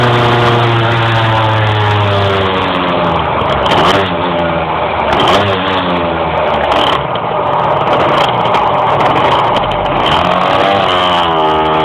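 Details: Engine struggling to climb in revs while driving: the pitch rises slowly, sagging and surging instead of pulling cleanly; hesitation under acceleration, cause unclear.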